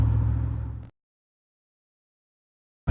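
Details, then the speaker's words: V8 truck after header gasket replacement fixing an exhaust leak: deep steady rumble with no ticking or puffing, exhaust sounding back to normal. "got that all done and that's taken care of it one less problem on the truck so I'm happy to have it sounded back to normal again"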